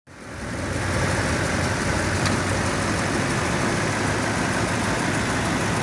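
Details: 2007 Toyota Tundra 5.7L V8 at about 170,000 miles, warm idle: a faint, regular light tick over the engine hum, mainly on the driver's side. It appears after warm-up and follows RPM; Moly additive and a change to 5W-30 oil didn't help, and the dealer says it's normal.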